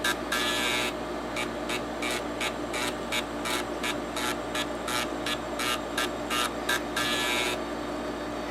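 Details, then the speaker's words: TEAC FD-505 3.5/5.25 combo floppy drive, 3.5-inch drive running the IMD clean-head command for three cycles: quick bursts of buzzy stepping as the head sweeps cleanly back and forth, with slight possible noise. Normal head seek. "So it looks like the head is moving okay. It does have a little bit of potential noise, and I accidentally exited all the way out of IMD there."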